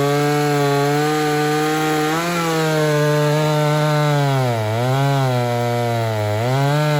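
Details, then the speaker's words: Ported Homelite Super XL-130 chainsaw on its final test run: strong high two-stroke scream sags and recovers as the bar bites wood, crisp and steady; healthy cutting under load. "other than that everything seems to be in working order oil's good runs good"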